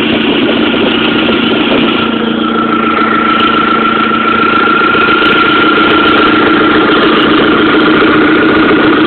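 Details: 1.8T turbo four at idle with a fast, even puff-tick about three to four per second; owner suspects an exhaust manifold leak, not confirmed.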